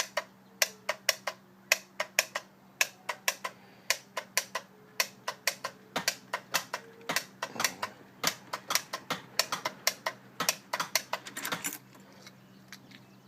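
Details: Ford E350 25-passenger bus with a 7.3L diesel that has not been starting, even after a starter swap and a cable check: sharp dry clicks about one a second, unevenly spaced, with no cranking. No-start clicking.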